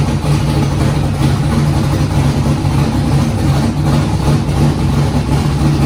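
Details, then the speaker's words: Foxbody Mustang with 408 V8 on Holley Terminator X, first start: steady even low rumble with no misses, knocks or hunting; idled great through first heat cycle, up to temperature; smooth settled idle. "Car cranked right up and it idled great, and I actually got it through its first heat cycle and it's up to temp right now."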